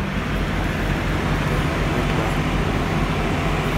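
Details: Toyota Yaris with an idle problem, addressed with throttle body cleaning and a new plug. Steady low rumble with even, unbroken texture, no misses or hunting: smooth normal idle.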